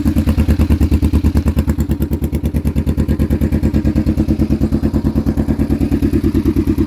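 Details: Kawasaki Vulcan EN500 twin with new glasspack-style exhausts idling; sharp regular pops about three a second from one side's exhaust, an exhaust leak needing header gaskets.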